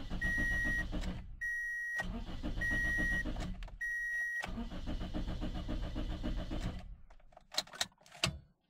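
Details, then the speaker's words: Car turns over on the starter in steady bursts of about four a second but never catches or fires; a crank, no-start, cause not yet identified. "se puede ver el auto da marcha pero no enciende"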